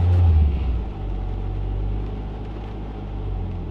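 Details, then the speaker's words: Mk6 Fiesta ST idle issue: one quick throttle blip, then revs hang raised briefly before easing to idle; throttle body already cleaned without fixing it. "so it's literally just one little blip and the reps hold a little bit that's what I'm trying to cure"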